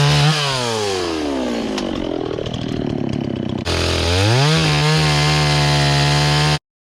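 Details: Restored old Stihl 026 two-stroke chainsaw after carburetor cleaning, rough-cutting thick-barked firewood with a pretty dull chain: screams at high revs, bogs under cutting load and picks back up cleanly each time; strong, healthy saw despite dull chain.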